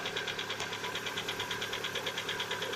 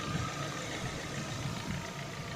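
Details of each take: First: Lada Vesta, 70,000 km, cold start: steady even knock under a sharp tick, nearly two beats a second, lasting one to two minutes until warm; piston slap, not hydraulic lifters, appeared recently, oil changed to the same brand. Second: Warm idle on a Lada Vesta at 70,000 km: steady, even and smooth with no ticking or knocking, and the belt doesn't chirp. The cold-start piston knock is gone once warm; owner wonders whether oil, filter or worn pistons are to blame.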